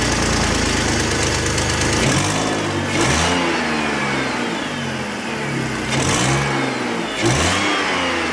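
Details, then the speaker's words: 2004 BMW 325i petrol six after oil filter housing gasket, CCV system and coolant hose replacement: idles steadily, then blips and drops back cleanly, revving freely; an exhaust leak, gone once warm, is still audible. "I'm sure there's going to be some learn time, but that's it for now. Revs freely."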